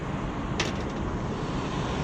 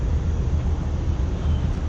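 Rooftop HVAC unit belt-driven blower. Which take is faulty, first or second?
second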